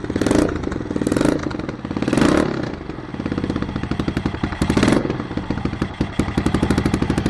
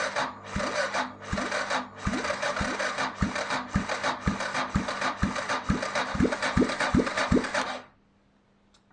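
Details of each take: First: 1993 Yamaha XT 600 E (3TB) enduro, first run after sitting about 12 years, no headers fitted: loud open single thumping evenly with crisp throttle blips rising and falling cleanly; runs strong, just very noisy. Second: 1993 Yamaha XT 600 E (3TB) that sat about 12 years, no exhaust headers, fuel primed: slow, laboured cranking at two to three heavy compression thumps a second, never fires, then silence; starter too weak, fuel leaked out the exhaust.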